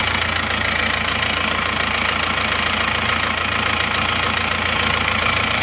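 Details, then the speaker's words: Isuzu Panther diesel running temporarily on Elf injector nozzles, original nozzles to be fitted next: steady, even idle with constant clatter, no misses, smooth but harsh, not soft-toned, slight thin smoke; normal diesel idle. "ini menurut saya sudah halus tapi kurang empuk suaranya Suaranya atas"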